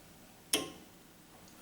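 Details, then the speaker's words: Newly installed cold room with Danfoss Optyma unit, defrost switched on: a single sharp tick in a quiet room as the U-shaped heater clipped under the evaporator coil expands; normal, and the unit then pumps down and turns off. "expanding it's held in with a couple of Clips it's like a U-shaped heater on the bottom of the coil"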